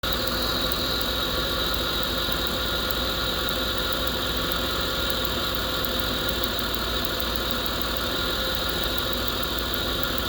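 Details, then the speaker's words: Petrol engine idling with faint quick regular ticking: spark plug wire pushed off by an incorrectly installed coolant hose, arcing and causing the misfire. "It's that plug wire right there. You can see it pushed off. Because this coolant hose somebody installed pushing on it, if you drove a car, walked that plug right off and you can hear it arcing inside there. And that's his misfire."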